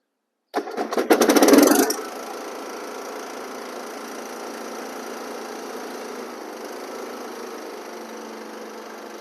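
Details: Cub Cadet LT1045 riding mower after an oil and filter change with 1.5 quarts of 10W-30: quick one-second crank catches cleanly, then a smooth, even run with no knocks or misses; normal start and run.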